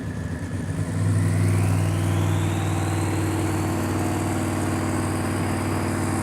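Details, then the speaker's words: Race car engine with very high power held under hard load, a rising whistle over it and a faint stumble early on; misfire under load, attributed to tight tolerances where any small part can cause it. "misfire we can hear it some small issues yeah I mean if you don't have issues you don't have a race car it happens all the time"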